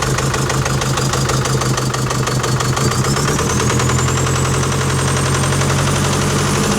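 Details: Rough knock at about three per second over a heavy drone from the BabyMax diesel in a 2019 Chevy Colorado, held at revs; heavy smoke, little throttle response, suspected turbo, exhaust leak or injector; engine knock with loss of power.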